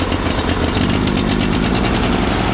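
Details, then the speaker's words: Toro Greens Aerator small single-cylinder engine, left sitting out in rain with a dead battery replaced: it chugs loud and steady with a slightly uneven beat and won't run well with the choke off; it needs half choke until warm, and the carb needs work. "want to work with the choke off"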